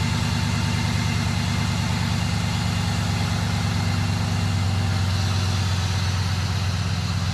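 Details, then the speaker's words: 2001 Cadillac after starter replacement and repairs: low, even idle rumble with steady beat and no knocks, misses or ticks; engine idling normally and sounds good. "go biggie come on baby sounds good all right see i've got the power oh good sounds good it feels good"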